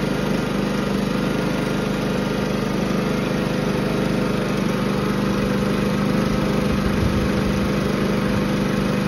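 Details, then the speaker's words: Firman W3650iE inverter generator, after carburetor cleaning cleared a fuel restriction from a partially clogged emulsion tube, now runs without choke: steady, even engine drone with constant low hum, no surging or hunting; normal running. "and there we go we have fixed the fueld Restriction issue due to a partially clocked emotion tube in a carburetor now this firman 3650 has no problem running without the choke"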